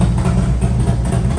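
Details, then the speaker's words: Honda CB750 motorcycle first start after Dyna S ignition install and static timing, tune by a shop: deep even exhaust burble, firm steady beat, no knocks or misses; healthy, well-tuned running at idle and rev. "Looks good, though. Sounds even better. Going to wake up the neighborhood."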